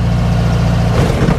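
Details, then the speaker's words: 1956 Volkswagen Beetle driving over grooved road; the suspension has no downward travel, only upward. Dull heavy thumps over a steady engine drone at each groove: the suspension is bottoming out. "Listen, there's grooves in this road. Every time I hit one, it's like uh ah it's like the whole car is bottoming out."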